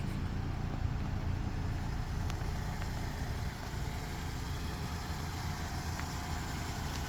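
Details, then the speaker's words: 2011 Toyota Camry, 106,657 miles on odometer but PCM showing 66,274, running during pre-purchase inspection, outdoors in wet conditions; steady even low hum with no knocks or ticks; engine sounds normal at idle. "Vehicle is currently running. Engine sounds normal."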